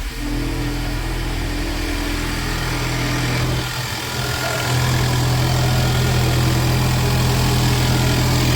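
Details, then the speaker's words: 2019 Ford Mustang 2.3L EcoBoost after re-timing and crankshaft pulley seal replacement: fires up and settles into a smooth steady idle, even low hum, no ticking or knocking, air pump whirring; healthy. "Hopefully no bad sounds. Let's see what it does. There we go. Fired right up."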